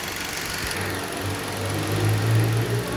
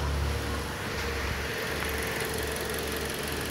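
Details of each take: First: 2010 Toyota Corolla petrol idling with steady even hum after cylinder 4 misfire fix: burn times even, no misfires recorded, though short-term fuel trim still shows rich mixture. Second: 2010 Toyota Corolla petrol engine idling with a slightly uneven, lumpy low beat; one cylinder misfiring, no fault code stored.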